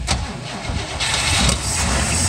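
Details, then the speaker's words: 1961 Cadillac limo V8 just pulled from storage, which had died as soon as it went into gear: now catches and holds a steady, even run as the car pulls away under its own power; running and driving. "Yeah! It moves! Bro, you drove it. Okay, running, driving, 1961 Cadillac."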